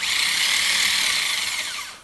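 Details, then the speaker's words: Rebuilt Delco starter for Chevrolet 4.6 V6, bench test run on 12 V after reassembly with new solenoid: high even whirring spin about two seconds, smooth wind-down without grinding; starter free-spins normally. "give our starter a test run. This should just run."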